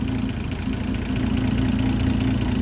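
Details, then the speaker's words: Land Rover Series 3 109 2.6 during a tune-up, warming up with revs below the 700 rpm timing speed: a slow, even idle with a steady low thrum and no misses or knocks. It sounds well timed, though the dwell meter reading seems off. "makes no sense obviously you can hear it's timed beautifully"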